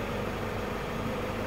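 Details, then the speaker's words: Toyota Hilux 3.0 diesel at idle during a light service, just before an oil change with engine flush: steady, even diesel clatter with no knocks or misses; engine idling normally. "É muita melodia. Essa melodia é o motor da Hilux funcionando, moçada."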